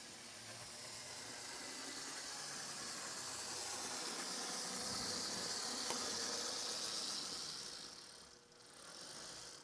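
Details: First-generation Athearn gear-drive model locomotive reassembled after repair, on its test run around the layout; a steady, even high whir holds throughout with no catching or grinding, then fades, running smoothly.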